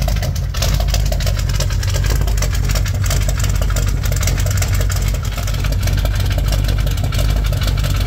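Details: 1987 Chevrolet K10 squarebody 4x4 first start after blown head gasket replacement: deep, steady idle with even low rumble, no knocks or misses, started without much trouble and warming up before test drive; normal idle.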